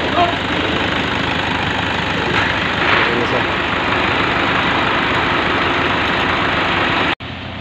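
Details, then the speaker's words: Vehicle whose battery warning light stayed on, alternator suspected defective; the alternator is now charging and the battery symbol is gone: steady even idle, no dipping, stalling, knock or misfire. Normal idle. "So naglo-load na po yung ating ano nagkatrabaho na yung ating alternator"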